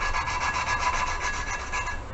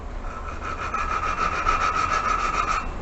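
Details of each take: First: Toyota 1NZ-FE cylinder head being built for turbo, hand lapping a valve with fresh compound: harsh sandy scrubbing with quick twisting strokes, rough and gritty from compound and seat marks; valve seat early in lapping. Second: Toyota 1NZ-FE cylinder head being built for turbo, hand lapping a valve after cleaning seat and valve: even fine swishing strokes, about three per second, no gritty scratch; smooth lapped valve seat.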